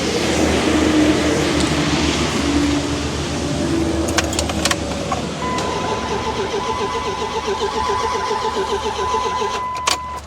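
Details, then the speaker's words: Older Dodge Ram cranks at a steady rhythm but never starts despite confirmed spark and fuel pressure; mechanic suspects ignition timing. "All right, so I got fire, I got fuel. It's gotta be timing, right? It's the only other thing I can think of right now."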